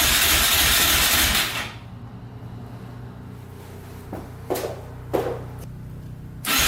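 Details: 2004 Yamaha Raptor 660 quad in rough condition, fresh oil, gas poured down the carburetor: starter spins in long whirring bursts with faint pops between but never catches; crank no-start.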